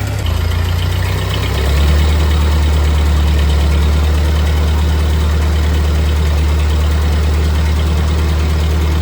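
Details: 1948 Ford 8N tractor engine after a full rebuild, idling in neutral after a PTO check; new carburetor still needs fitting and adjustment: steady, even low chug that settles slightly after two seconds, regular rhythm, no knocking or missing. Normal idle.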